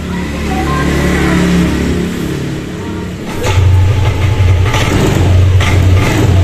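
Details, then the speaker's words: Yamaha Lexi 125 that was totally dead with error code 12, after the red wire was insulated, the connector glued and reconnected; radiator not yet refitted and the code still shows. Starter whir, catches into a steady low idle; normal start. "Oke, untuk si motor dia sudah mau hidup. Ini untuk pengetesan saja ya, sementara ya."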